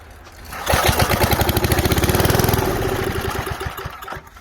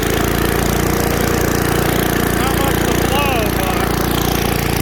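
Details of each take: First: 1978 Billy Goat Winro blower, 5 hp Briggs points engine, with starter fluid and bottle-fed fuel: a pull, then fast chuffing pulses under two seconds that fade without running on; carburetor suspected. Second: 1978 Billy Goat Winro leaf blower, 5 hp Briggs points engine found in trash, fed starter fluid and running low on oil: loud, steady drone holding an even pace with no misses or knocks; runs normally.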